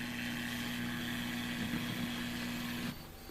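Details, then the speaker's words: Cheap generic laptop power adapter plugged in, heard through speakers: steady low buzz with faint high whine that drops away when unplugged; poorly filtered switching power supply leaking noise. "It quiets down. And as soon as I plug it back in again, you'll hear the noise from the switching power supply. Poor filters."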